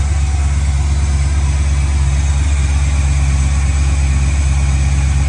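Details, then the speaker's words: 1965 Chevy Nova V8 with new cam, first start-up after rebuild and TPS reset after throttle-plate adjustment, still warming up: deep, even, slightly choppy burble with no misses or knocks; idle expected to drop as it warms. Normal idle. "Yeah, that's smooth. And now as it runs a little warmer, the idle will go down."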